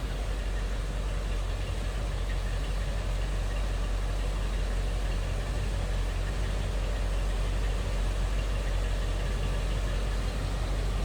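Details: 1972 Cadillac Eldorado convertible big V8, heard from behind the car: smooth, even low rumble with quiet exhaust and no knocks or misses. Normal idle.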